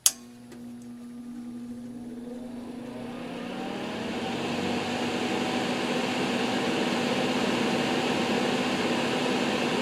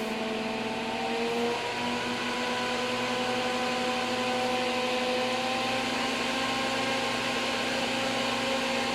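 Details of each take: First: NOEVSBIG all-metal solder fume extractor fan with its filter fitted: steady hum climbing in pitch and level as it spins up, sounding strained and labored; owner feels it is unhappy with the filter in and suspects it needs oil. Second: NOEVSBIG all-metal solder fume extractor fan started on high speed: steady whirring hum slowly climbing as it creeps up to speed, smooth and even with no rubbing; normal run-up.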